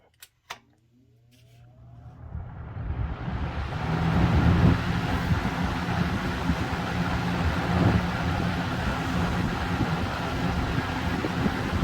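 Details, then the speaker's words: Circa-1997 Air King 20-inch box fan with Marko motor, switched to high: a steady low whoosh builds over a few seconds, then holds an even hum with no rattle or scrape; normal running on high. "without further ado i'm gonna fire this thing up on high"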